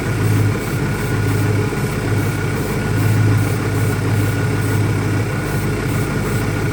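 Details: 2001 Ford Mustang Cobra after new Bosch spark plugs; steady idle with a slight irregular lope and wavering beat underneath; rough idle, owner asks about vacuum leaks, cause not pinned down.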